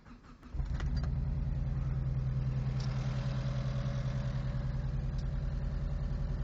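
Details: Mitsubishi Eclipse 4G63T catching and settling into a lumpy idle with a faint quick tick; owner unsure whether it is lifter tick or a spun bearing.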